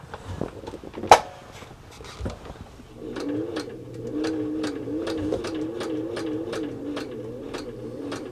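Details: Fully serviced Singer 638 Touch and Sew with nylon gears, running slowly under pedal control while sewing material: soft steady hum with light, even ticks about three a second; smooth, healthy slow stitching with no roughness.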